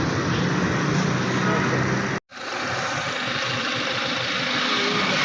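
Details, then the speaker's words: Suzuki Cultus EFI after tappet cover gasket and spark plugs replaced, water leak fixed and coolant refilled: even, steady petrol idle with a smooth low hum, no knocking or misfire, a normal idle. "बिल्कुल क्लियर है। पानी लेनी थी वो भी ठीक है, सारा साउंड पिक हर चीज़ माशाल्लाह ओके है इसका।"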